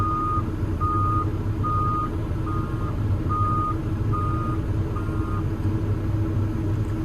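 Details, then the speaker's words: Develon DX160-7 high-track excavator that had stopped slewing with a bang (motor or gearbox suspected), swinging after repair: a steady diesel rumble with a swing alarm beep about every 0.8 s; the slew runs smooth, no bangs. "Right. We're going to swing away from the van. Yeah, boy. We're moving."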